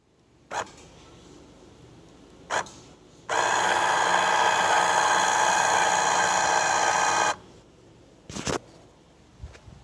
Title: Motorized blind: squeaking noise